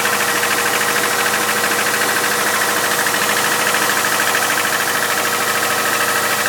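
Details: 2001 Subaru Outback 2.5, 278k mileage, valves already adjusted: a strong, fast metallic rattle about three per second over the engine drone when accelerating in the first 10–15 minutes. It lessens but persists once warm; cause unclear.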